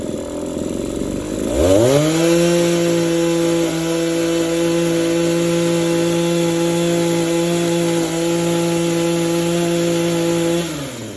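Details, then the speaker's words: Two-stroke hedge trimmer with burnt piston and no compression, won't stay idling and surges at idle, run at full throttle: revs quickly to a harsh, steady high-pitched scream and holds; rough-running burnt-up engine that still runs. "But the crazy thing is, I can just pull the rope and tell the engine is burnt up. But the thing still runs. I don't know how."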